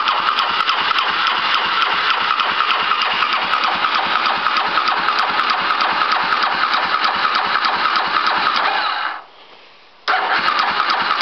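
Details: 2005 Polaris Predator cold start after carb cleaning, oil change and new spark plug, carburettor primed; slow even chuffing about three beats a second, brief drop-out, then picks up; hard cold start.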